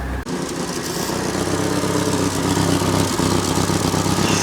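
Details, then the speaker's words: Classic Renault R16 after bottom-end repair and oil pump priming, microphone under car: steady idle with a sharp puffing chuff on every firing pulse drowning the engine; exhaust leak blowing at a joint. "you really can't hear very much under here because of the blowing exhaust which is on my list of things to fix today"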